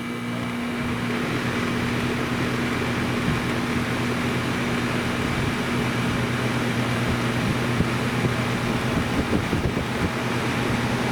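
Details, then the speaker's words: Outdoor AC condenser running normally after failed contactor (relay) replaced; before repair it hummed and only the fan ran, blowing hot air. Now steady smooth compressor hum and whooshing fan, no stalling. "and how do you like them apples that's what the problem was"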